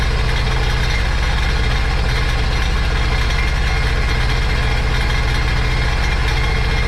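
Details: Supercharged 2009 Sea-Doo GTX 215 jet ski bought with a locked-up motor, run on the hose after revival: rough, loping idle with uneven low thumps two or three a second. Cylinder 3 misfire from a cracked ignition coil.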